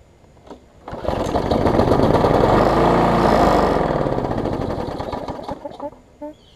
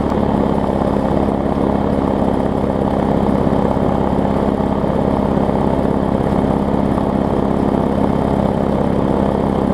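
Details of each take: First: Bolens 21-inch mower, Briggs & Stratton 500 series, built April 2012, smoking: revs briefly, runs rough with an uneven shaking beat, then dies back; vibration from bent shaft and internal engine damage, judged too far gone. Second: Bolens/Murray push mower, small single-cylinder engine, first start: smooth, even drone with steady low hum, no misses or knocks; runs healthy.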